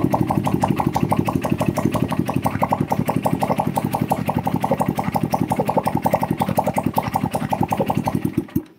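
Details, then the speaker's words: Yamaha Jupiter Z idling, listened at the crankshaft centre: small single with a sharp click every turn from the middle cavity, also vibrating; worn connecting rod knock. "disini poros engkol center suara fiqh dari tengah ya di sini gak kedengaran apa-apa tapi dari rongga yang di sini kedengaran suara klek ini"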